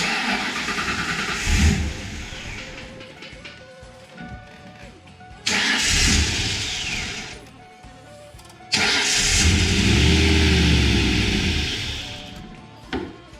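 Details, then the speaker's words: 1995 Mustang Cobra that wouldn't idle, before Seafoam treatment: repeated cranking catches into a lumpy, uneven run that sags and dies between tries; bad misfire and rough idle, won't stay running. "Just to show you that this car does miss really bad, before we start doing our Seafoam process, we'll go ahead and crank it and it probably will not stay running."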